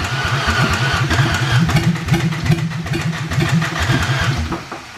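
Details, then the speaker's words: 2004 Ford Ranger Tremor, rescued after sucking muddy water (air filter full of mud), no exhaust fitted: catches and runs unevenly with loose, hard knocks about three a second over an open roar; new knocking from a stuck valve. "why is it Knocking though I didn't do that before"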